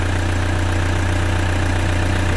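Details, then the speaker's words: Toyota Fortuner after cleaning the battery terminals that had caused no dash lights; switched off and restarted, it idles with a smooth, deep, constant hum, no ticking or misses, normal. "Nah, sekarang kita starter lagi. Mudah-mudahan nggak ada masalah. Nah, nggak ada masalah."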